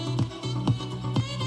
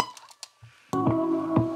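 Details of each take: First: Panasonic RQ-V520 radio cassette walkman, 35–40 years old, tape playing on the reverse side of the head, volume turned down from maximum: full, even music with clear bass and crisp highs, no wobble; normal playback. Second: Panasonic RQ-V520 radio cassette walkman, 35–40 years old, tape playing in the forward direction: dull, muffled music missing its treble; forward head position deteriorated, losing fine detail, not a cleaning issue.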